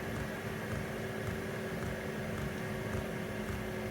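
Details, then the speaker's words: Diesel heater, warm, on high then medium, mic about 14 inches from pump, no sound deadening: soft even pump ticking just under two per second over steady fan hum; dosing pump pulsing normally. "On high, you can just barely hear the pump. Again, that's with no real sound deadening or anything."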